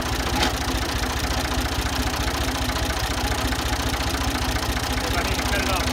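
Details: Ford 2000 diesel tractor running on Diesel Purge, smoky: idle with a hard, fairly regular knock over the low rumble, attributed to bad injectors being cleaned.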